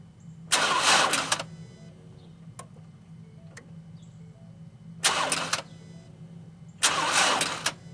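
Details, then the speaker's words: Ford Escape with a suspected weak battery on an extremely cold, iced-over morning. Three short cranking tries, each under a second, and the engine never catches; flat battery, later jump-started with cables. "cannot believe it's dead yeah I can't it's it's absolutely freezing"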